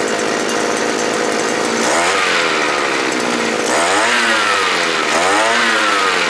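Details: Small engine on a Thai earth auger/post-hole digger after repair (carburetor replaced with a sprayer-type carb; previously started hard, stalled when revved) buzzes steadily, then revs up cleanly three times without bogging or stalling: normal running and clean throttle response.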